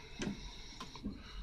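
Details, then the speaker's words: LS-swapped 1959 Cadillac Coupe DeVille, key on: short soft whirs and clicks as the electronic throttle body opens and closes when the gas pedal is moved; pedal position sensors read on scanner, actuator working normally. "we'll go ahead and listen when when I move the gas pedal that's the throttle body opening and closing okay"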